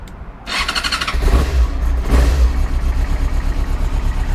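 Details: Yamaha R6 motorcycle recovered after theft with a smashed ignition, started using a broken ignition piece instead of a key: quick crank catches at once and settles into a steady, even idle with a low throb; healthy start.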